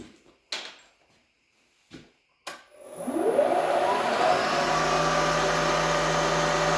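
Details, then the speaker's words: Drilling near a part edge with an unsupported pilot at high RPM, long stick-out, heavy feed: tone swoops up as the bit bites, then a harsh steady ringing buzz; drill chatter. "So that sounds awful, which is unsurprising because it's really an unsupported pilot, and I'm feeding her pretty mean in there. We're running at high RPM with a lot of stick out."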